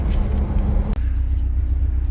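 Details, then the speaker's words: Perkins 4236 diesel (about 4.2 L) on a narrowboat that sank, running again after being turned over by hand: deep, steady rumble with an even beat and no knocks or misses; normal running. "Going again now at last. Yeah, we're going."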